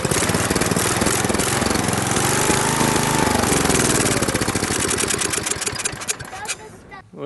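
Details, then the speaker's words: Briggs & Stratton industrial small engine (air-compressor use) after the fuel pump was reconnected correctly, still extremely hard to start: catches and pops unevenly for a few seconds, then stumbles and dies; once running it still surges. "it's running okay it's still kind of surging but that don't really matter for an air compressor as long as it's running that that's all that matters"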